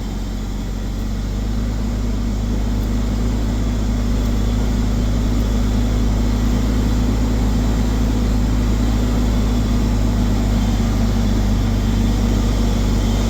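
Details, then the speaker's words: Ford Falcon XR6 after Welch plug and brake work: deep, even, healthy idle with no knocks or misses; the water pump sounded unhappy, likely from running dry. "At least it sounds good."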